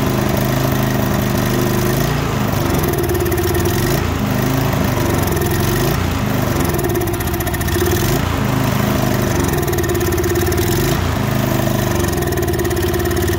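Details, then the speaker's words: Murray 24-inch rear-engine riding mower with 190cc Briggs & Stratton engine, won't start, run after starting fluid with fuel in tank: rough, uneven running, speed rising and sagging every couple of seconds, barely staying running; fuel starvation likely. "Well, it looks like it wants to halfway stay started now, once we started it on starting fluid, but there is fuel in the tank."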